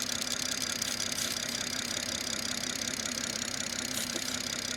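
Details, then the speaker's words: BMW B58 idling warm in UK winter with the plastic engine cover removed before a PCV test: crisp, even, fast injector ticking over a smooth idle; normal direct-injector noise. "Now you would have noticed that my injectors are now 100 times louder. I can barely hear myself talk,"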